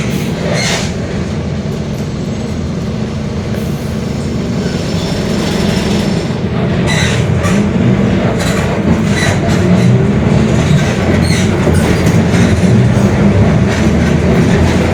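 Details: Mercedes-Benz OF-1721 Bluetec 5 extended urban bus, Mascarello GranVia Midi 2014 body, built 2021, under load: a steady low drone beneath the road noise grows as speed picks up, from a growling differential.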